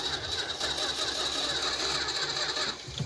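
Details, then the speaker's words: Junkyard '75 Dodge Dart that seemed to fire once when the key was released: rapid rhythmic cranking that catches and runs briefly before fading; it starts after the ballast resistor is bypassed. "Whoa, no way! Dude, it ran. Yep. It wants to go. Whoa, that ran. That ran. That absolutely ran."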